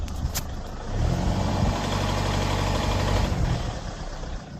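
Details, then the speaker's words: Citroën C8 2.0 HDI diesel under light acceleration around 1500 rpm: faint rapid clatter over the drone, earlier starting at 2000 rpm and worsening; injectors and vacuum pump suspected, then hydraulic lifters found via screwdriver listening test. "Ici même quand j'arrive un petit peu à 1500, un peu moins, elle commence à claquer, je sais pas si vous entendez."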